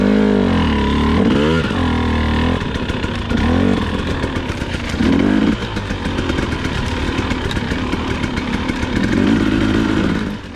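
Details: KTM/Husqvarna TPI two-stroke at low rpm and light throttle: choppy, stumbling, popping note that sputters and never pulls cleanly; suspected faulty crankcase pressure sensor, unconfirmed.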